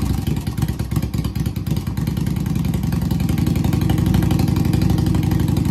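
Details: Twin-cylinder motorcycle project started for the first time, fed from a bottle of gas: even lope about four beats a second settling into a steady smooth idle with no knocks or misses; normal idle.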